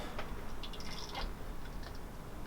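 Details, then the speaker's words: Suzuki GS500 USD front fork after refurb with new seals, bushes and fresh fork oil: quiet gurgling and bubbling as the damper is pumped, air bubbles moving up and down in the damper, still needing bleeding. "can hear the bubbles going up and down."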